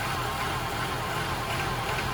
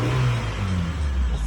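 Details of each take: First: 1994 Honda Accord petrol engine, idle slowly rising and falling, surging around 1,500 rpm. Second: 1994 Honda Accord with surge/idle complaint: brief clean rev dropping back smoothly, no surge or hesitation; sounds normal.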